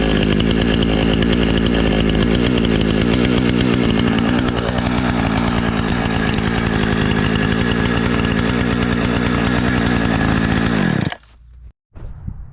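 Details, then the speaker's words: Husqvarna 455 Rancher chainsaw, after carburetor and fuel line repair and chain sharpening (had sat for years, died on throttle), cutting a downed tree: strong steady high buzz through the whole cut without bogging or surging, drops off cleanly; healthy under load. "it makes sawdust. That's what we were after. The chain seemed good and sharp and didn't have any fuel issues, it didn't seem like, so I think it's good to go."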